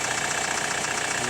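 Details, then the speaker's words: Hyundai ix35 CRDi 136 hp diesel, cold start after sitting half a day at -1°C: fast regular clattering ticks over the idle, keeping time with engine speed; owner suspects hydraulic lifters or timing chain tensioner, cause unconfirmed. "вот прям слышно клацанье. Не так, чтобы очень, но вот слышно. Вот, это пока на холодную."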